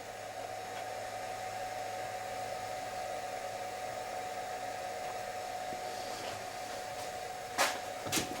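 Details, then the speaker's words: Homemade knife belt grinder, motor on VFD with potentiometer speed control, running at low speed about 800 rpm: steady even motor hum with clean mid-pitched whine, no knocks or rubbing; normal running. "That's about 800 revs that."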